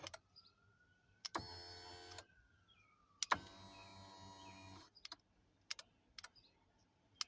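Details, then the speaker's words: Acura MDX, blown fuse bridged with paper clip: moving steering column tilt toggle gives short whirring motor bursts with clicks and crackles; chafed wiring under column rubbing metal is shorting, causing smoke, blank dash, no-start. "Now, it was a shortage. It's these wires that's underneath here that is touching this metal piece right here that it rubbed."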